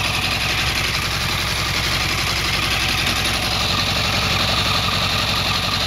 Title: 2008 Yamaha R1 Motor ticking sound ( Cold Start Up )